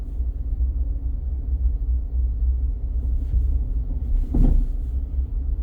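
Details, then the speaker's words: 2023 Nissan Frontier Pro-4X the day after off-roading, driving over speed bumps; steady road rumble then sharp clunk and rattle from under the truck, silent on highway; something loose. "But I noticed when I hit a couple speed bumps on my way out here, something is rattling under the truck."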